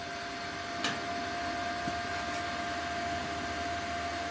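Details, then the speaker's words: Arccaptain CUT55 plasma cutter on 220 V: even, steady cooling fan hum with constant tone, no rubbing, ticking or wobble while running after the cut; leave on until fan stops; normal fan run. "You can hear the fan when it's running. They say to make sure not to cut it off before the fan stops running."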